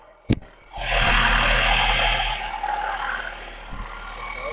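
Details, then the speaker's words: 12 V car alternator converted to a brushless motor, RPM not measured: after a click it spins up to a steady, high, thin whine over an airy rush, holding speed evenly; running fast and smoothly. "देखिए इसका speed जो है दोस्तों बहुत ज़्यादा है, तो इसे अगली बार जो है हम इस्तेमाल करने वाले हैं बाइक वाले में, इसे इस्तेमाल करेंगे दोस्तों।"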